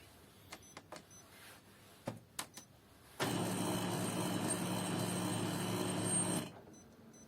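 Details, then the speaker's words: Kyocera M2030 laser printer in for diagnosis, reporting developer unit not installed: runs about three seconds with low motor hum and a faint, thin squeak; drum unit squeak. "не так принесли на диагностика аппарат м 20 30 kyocera ищет узел проявки не установлен ну и плюс к тому же присутствует небольшой скрипт"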